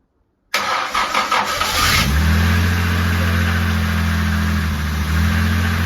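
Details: Jaguar E-Type Series 2 first start after complete rebuild, oil and coolant topped up, fuel pump primed: about 1.5 seconds of cranking, then fires cleanly into a smooth steady idle; normal start and idle.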